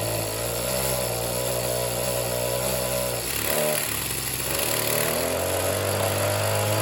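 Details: Oleo-Mac BC240 strimmer, 24 cc two-stroke, warming up after spark plug clean: buzzy, uneven running, speed sags and stumbles before recovering; won't rev up properly, blocked fuel filter or mixture suspected.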